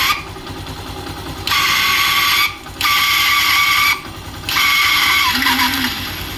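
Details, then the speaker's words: Yamaha Saluto motorcycle with a starter noise: each press of the starter brings a high, dry whirring squeal over the cranking because the starter bearing's grease has dried out from heat; starter motor bearing noise. "এই স্যালোটের গাড়িটার প্রবলেমটা ছিল self মারলে যে আওয়াজটা শোনালাম, তো এই আওয়াজটা সেলফ মারলে হচ্ছে।"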